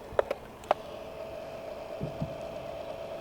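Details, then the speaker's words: Electric Red Bull Formula One RC car with large fishing weights added over the front axle to test stability; steady motor whine with sharp irregular clicks and scuffs as the weights rub the ground; a crackling noise is also heard. "je vois que mes poids le font un peu frotter sur le sol. :-)"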